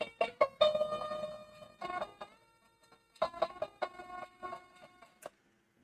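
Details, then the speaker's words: Commodore 64 playing SID music (Donkey Kong Arcade via EasyFlash) after a diagnostic test; power level still not ideal; crisp, clean chip music with no buzzing, crackle or dropouts; SID sound chip working properly. "And that all sounds good as far as I can tell. So it looks like we have a working machine."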